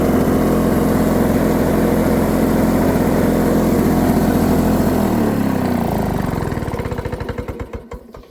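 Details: Lawn-Boy 7268 two-stroke mower, first cold start after carb cleaning, original carb parts, needle not adjusted, new spark plug, oil in cylinder: crisp steady buzz for several seconds, smooth wind-down after shutoff; starts and runs fine.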